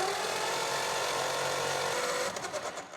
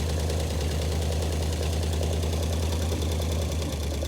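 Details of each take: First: 1935 Ford 5-window coupe, flathead V8 parked about 50 years, 6-volt starter on 12 volts: fast high-pitched whirr, no firing, uneven compression; valves seen stuck open on every passenger-side cylinder and 3 of 4 driver-side. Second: 1935 Ford coupe flathead V8, first run after 50 years parked, straight pipe with no muffler and half the pipe missing: even steady idle, regular beat, no misses, crisp throttle response, then shutdown; normal idle.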